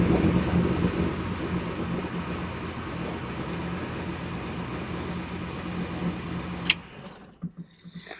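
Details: Project car idling at first start after two weeks sitting, after remote oversized oil filter install and fuel lines reconnected, after 500 miles of break-in: even idle about six seconds then clean shutoff, no knocking, ticking or roughness; normal idle.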